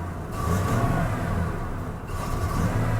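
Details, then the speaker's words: 1987 Chevy Monte Carlo Luxury Sport, long-sitting, rotten-smelling fuel: engine surges unevenly and bogs, nearly stalling when given gas, popping heard; hesitates instead of picking up cleanly, cause suspected but unconfirmed. "it start I tried stalling out when you give it any gas"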